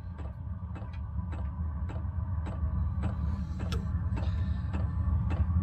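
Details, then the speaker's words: Chinese diesel air heater running on red diesel from a 12 V battery on charger, at full setting during start-up: soft even ticks about twice a second over a low hum; fuel pump metering fuel normally before ignition. "it's just like it's just igniting now click you can hear is the fuel pump taking red diesel out to the fuel tank"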